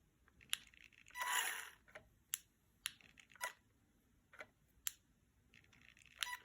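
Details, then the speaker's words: Off-road remote control truck with lights on: sharp irregular clicking from the receiver every second or so, no motor running; it runs a few seconds then shuts off, receiver suspected faulty; intermittent clicking, unit cutting out. "There's a tickling sound there from the receiver. There seems to be a issue in the receiver."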